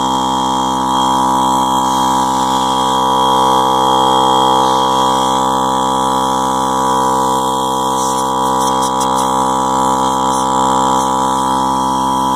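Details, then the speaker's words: Masterflow MF-1052 (MV-50/MF-1050 type) portable air compressor after wiring upgrade with heavier jumper-cable wire, running with no load: loud steady drone, fast even pump beat, strong buzz; much less sluggish than before, running healthy. "that thing is loud it i can hear the difference there that thing is very very loud so i guess there's a lot of juice going in there uh before it was a lot more sluggish than that"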